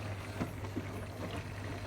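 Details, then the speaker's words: Bosch Serie 6 washer-dryer on spin and drain after a blockage was cleared: a steady low pump hum with soft, uneven gurgles as the waste pipe fills. The pump is a bit tired but drains the water properly. "pipe gurgling as it fills up with water. And what you'll see, the pump is a bit tired, but the water has dropped substantially."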